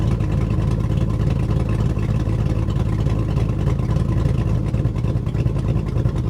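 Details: 2002 GMC Sierra V8 with new Truck Norris NSR cam on stock tune, stock manifolds and cats, just started: deep burble with choppy irregular lope at idle, running super rich and rough before a tune.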